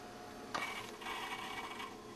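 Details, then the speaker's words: Power Macintosh 6500/275 with its IDE hard drive failing: after the repeated "click of doom", a faint whirr, sharp click, then scratchy buzzing bursts and thin tones; abnormal hard drive noises, owner wonders if the adjacent monitor is interfering. "okay it started making weirder noises"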